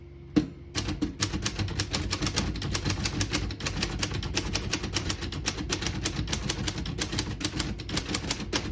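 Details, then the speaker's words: Serviced 1935 Corona Standard portable typewriter, typing test: quick, crisp keystrokes at roughly four per second with even snap, no keys skipping or sticking; normal typing. "As you can see, all the keys type nice and none of them skip or stick."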